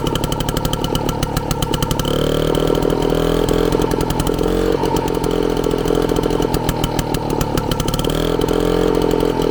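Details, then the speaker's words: Frazer tiller with freshly installed and timed magneto ignition, first run in 30+ years on 32:1 two-stroke premix with 93 octane, Zenith carburetor: loud busy two-stroke rattle holding steady speed, no knocking; running healthy. "but man she sounds fantastic I don't hear any knocking or nothing it is fantastic"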